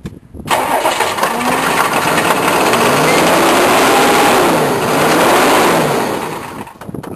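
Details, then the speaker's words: GM K3500 diesel pickup, sat six months, cold start on starting fluid: a long, labored crank that catches slowly and runs rough, with no knock; hard starting, owner thinks it needs an injection pump. "yeah needs an injection pump and who knows what"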